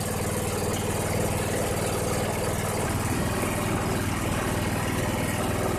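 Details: 2001 Cub Cadet 3184 tractor, Kohler CH18S 18 hp OHV engine, 848 hours, after tune-up and a new voltage regulator reading 14–15 V: steady, even low thrum at constant idle with no misses or knocks; a normal idle.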